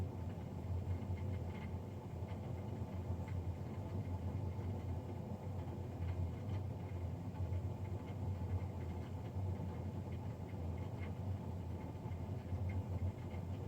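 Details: Navien NCB-240 boiler recorded Feb 3, 2020, three days after a Jan 31 service: constant low droning rumble, no change in pitch or rhythm; combustion fan running louder than it should.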